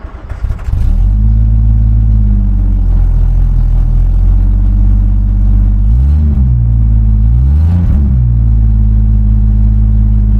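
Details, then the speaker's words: Rover P4 at idle: steady low idle with ragged puffing chuff and two quick blips; blowing at the silencer joint. "joint this is the one I'm worried about under here yeah they're still blowing from there a bit I'll have to tighten it up a bit more"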